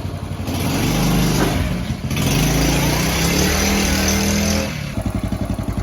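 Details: Honda Chaly CF50 single-cylinder, revived after long storage with oil changed and carb cleaned, buzz climbs into a strong rev, holds, drops back to a steady putter; engine runs and revs cleanly.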